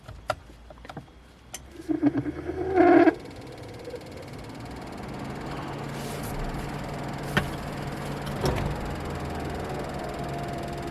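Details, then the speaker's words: Subaru Impreza blower motor noise: a few clicks, a brief squealing burst, then a steady fan rush with low droning hum; fix involves removing glove box area, blower motor and resistor connectors. "hi guys this is a subaru impresser this car has some bad noise like this then we turn on the"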